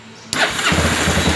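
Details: Motorcycle that would not start on the electric starter, after the starter relay was found faulty and its ground wire is touched to ground: short crank, then it catches at once and settles into a steady, even idle; starting circuit working.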